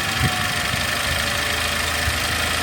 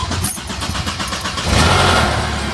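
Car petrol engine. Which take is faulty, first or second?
second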